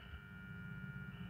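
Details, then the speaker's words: Transformer connected to an inverter instead of mains supply, silent on mains: steady low buzz with thin high whine and no rhythm, loud transformer hum caused by inverter power. "तो जैसा की तुम सुन सकते हो इसमें से फिलहाल कितनी तेज आवाज ए रही है इनवर्टर पर चलने के बाद जबकि जो हमारी में सप्लाई थी उसमें से जरा भी आवाज नहीं ए रही थी"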